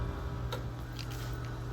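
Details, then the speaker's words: UV-Vis spectrometer (HP diode array) lamp starting: a few soft, sharp clicks over a steady low hum as the lamp ignites; normal lamp ignition clicking. "That noise is common. The clicking noise is just indicating that it's turning on the lamp."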